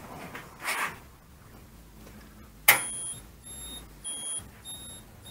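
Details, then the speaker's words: 1932 Ford sedan, ignition on accessory, brake lights on and one indicator flashing: the audible beeper gives a high thin beep about every half second in time with the indicator; working normally. "Can you hear the little audible beeper? So you can see the indicator there, and now this one is flashing and that one isn't flashing."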